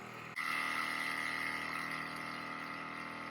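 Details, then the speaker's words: Natufia water tank drain pump emptying the tank for cleaning, level starting around 78%; steady hum with a constant mid-high tone that starts abruptly and holds as the tank drains; normal drain pump operation. "So you will hear the noise, and the tank is kind of heavy noise, and the tank will start to empty, and we will start to see the tank water level that will drop step by step."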